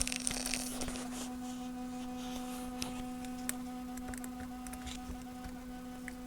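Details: Becker Europa MU MO 812 vintage car radio, thought water-damaged, with cracked solder joints on output transistors: steady low hum with irregular sharp crackles and pops through the speaker; a noisy transistor is suspected, not confirmed.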